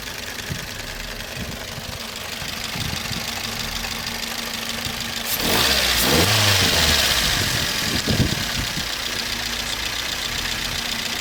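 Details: Toyota Vitz 1SZ-FE at idle: sharp, regular tapping near 220 a minute that periodically eases, then returns; engine knock of unknown origin.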